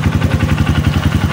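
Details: Honda CRF150 single-cylinder after oil-starvation damage repair (new rocker arm, cam, rocker shaft, valve guide, starter brushes): steady even idle about eleven beats a second, no top-end tapping; slight exhaust leak remains.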